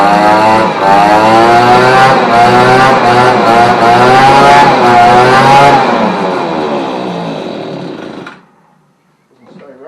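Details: Victa outdoor vac and blower two-stroke, after a cracked leaking fuel tank was sealed with a hot screwdriver, choked and primed: fires up and revs with a clean steady buzz, pitch wavering slightly with throttle, then shuts down; runs normally.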